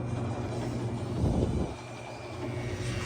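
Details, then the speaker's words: New Maytag MDB4949SKZ2 dishwasher, F9E1 code, running with no water: low rough drone with strained hum rising then settling; wash motor binding and overheating on its broken sump filter. "now it sounds even worse no water"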